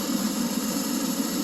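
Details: Oil furnace in an unheated garage, 31°F outside: motor runs fan and pump with steady hum and rush but no flame whoosh, opening the flap shows nothing lit; burner not firing, owner suspects plugged nozzle.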